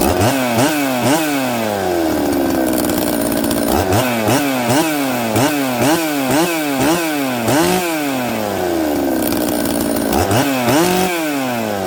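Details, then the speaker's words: Newly built 266 chainsaw after sealing oil pump O-ring area with assembly silicone: crisp two-stroke snapping up through quick blips and dropping back to steady idle each time; normal idle and revving, air leak fixed. "you can see it starts it idles it settles down quickly i can flip it all around it's good"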